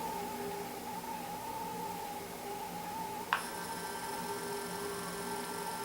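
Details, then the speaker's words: Intermountain GP10 locomotive with LokSound Full Throttle decoder, under light throttle after setting CV124 to 4: only faint steady high hum, no buzz, much quieter than before the change. Quiet motor hum after fix. "So if you can hear through the video, there still is some noise, but it's not nearly as loud as it was before setting CV124 to value number 4."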